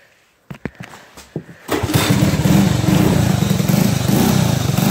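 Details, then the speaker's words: 1984 Honda ATC 110 three-wheeler fitted with a 1979 ATC 110 head and new rings, timing reworked, started completely cold on choke with some gas: a few weak pulls and coughs, then fires and settles into a steady, even putter, no knocks or misses. "here it is just took me a second to get it started i just need to give it some gas when i first took it when i first pulled it but fire's right up"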